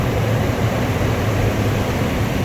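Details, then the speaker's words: 1998 Lexus LX470 with about 250,000 miles, just after starter replacement, first start after cranking to refill fuel rails: steady low rumble, even note, no knocks or misses; engine running normally. "okay we're gonna give it a crank nice there we go finally gotta double check make sure everything's running"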